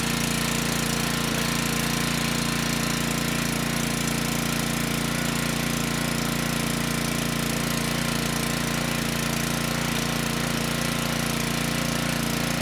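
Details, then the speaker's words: Generac-branded Briggs & Stratton WheelHouse 5500 W generator (engine 204412-0142-E1), running steady and even after ignition coil replacement; output 123 V but engine speed slightly slow at 58 Hz, to be adjusted. Earlier no-start, water found in tank. "This time the engine started and stayed running. The engine sounds good and we're making power."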